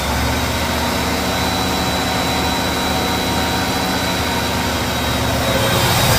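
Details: 1975 Pontiac Grand LeMans 400 V8 with two-barrel carb, cold start after 21 years sitting, choke repaired and linkages lubed: loud, steady fast idle with even throb, no knocks or stumbles; runs cleanly on the choke.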